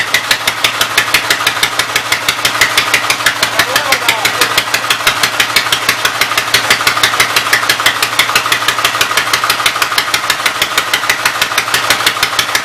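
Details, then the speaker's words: Sharp, fairly regular pops about three per second with uneven beat: Westchester engine started by belt starter generator after timing bump, running rough on full choke; still needing ~3/4 choke signals remaining issues. "It's either a dead battery or who knows. It's kind of running. Running on full choke."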